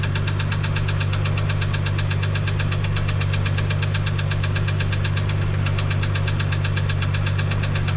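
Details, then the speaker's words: 1987 Toyota Supra MK3 Turbo Targa: sharp, regular ticking knock about three per second over a steady idle, intermittent and briefly dropping out, heard near the left valve cover; something loose under it suspected, possible rod knock, unconfirmed. "So as you can hear, sounds terrible. I can distinctly hear the sound coming from here. I want to stay inside the left valve cover."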